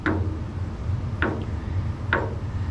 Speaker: those kind of sounds, like someone's knocking at your door, but really it's just the sediment is building up in this hot water heater and it needs to be flushed